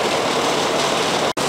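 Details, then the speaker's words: Outdoor AC condenser unit whose fan had not turned and only hummed, suspected run capacitor, running after repair: steady, even rush of fan air over a smooth compressor hum with no buzzing or labouring; it runs normally. "Well you can see we have a nice perfectly running air conditioner. This was another successful repair here."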